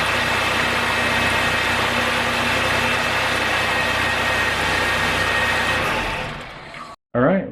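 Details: 2002 Ford Taurus 3.0 V6 after replacing the fuel injector that caused a P0303 cylinder 3 misfire: first start after repair, slight stumble expected at first, then catches and settles into a steady, even idle before shutting off; normal idle.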